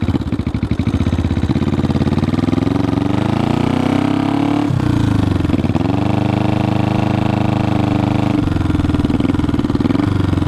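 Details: 1974 Honda CB500T cafe racer that has a hard time staying running. Revs rise and drop back unevenly, with a ragged, stumbling note at low revs. It runs rough; the owner plans a carb rebuild kit and carb sync, but the cause is unconfirmed.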